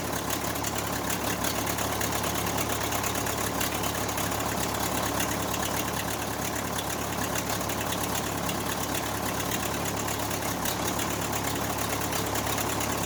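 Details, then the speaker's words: Case 580C backhoe diesel, abandoned and unmaintained, after valve adjustment, injector replacement and fuel stop cable fix; closing start, steady idle clatter about three beats a second, no miss or stumble, runs smoothly: normal diesel idle. "so I'll start the engine up and let it run and let you guys listen to it, and then roll my credits at the end so you guys can subscribe and watch another video, or, you know, close it out."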